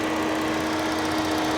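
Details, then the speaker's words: Even idle hum with a steady cooling fan drone and no knocks or stumbles, auction car with A/C compressor engaging; normal idle with fan running. "the fan is turning the engine is on everything is fine"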